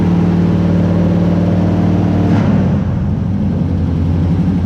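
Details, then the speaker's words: Shop truck with a carbureted 350 V8 swapped in for a hurt 383, on its first start after reconnecting the distributor power wire, recorded indoors in the shop; loud, steady rumble with a brief blip, no knocks or misses, and good oil pressure; normal running. "two things that was way too easy so i better get out of the shot before it catches on fire something second thing i forgot how loud this thing was in here"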